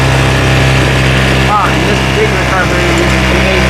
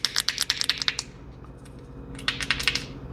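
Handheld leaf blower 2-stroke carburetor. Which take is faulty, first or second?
second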